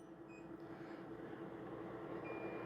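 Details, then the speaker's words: Bluetti AC300 3000W LiFePO4 power station, off-grid, pushed over its 3000W max rating into surge: faint quick mid-pitched beeps repeat over low room hum as the inverter trips into protect mode, inverter overload warning; unit then tries restarting itself. "There we go. We got an alarm. Inverter overload warning."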